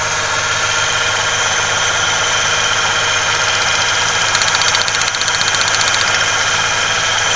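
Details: 1995 Ford Ranger 3.0L V6 with heavy vibrations and a strong gas smell: uneven idle stumbling about three times a second over a hissy background. Rough running; a misfire is suspected and plug wires are being checked.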